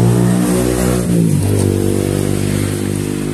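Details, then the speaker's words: Honda scooter (Vario/Beat) after a gearbox rebuild at another shop, with new bearings, rear wheel dragging: engine revving with a thin whistling whine as the wheel spins; gearbox whine pointing to a mismatched or damaged gearbox/pulley shaft. "Jadi kalau hanya si konsumen ini setelah habis Bongkar bagian gearbox tidak enak teman-teman selain suaranya yang nyuling ada suara nguyung saat dihidupkan"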